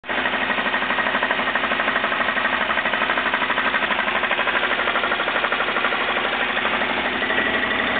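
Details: Jeep engine at idle makes a loud, rapid, constant jackhammer-like hammering with engine rotation. Four main bearings were found worn out, and the engine was replaced with a long block.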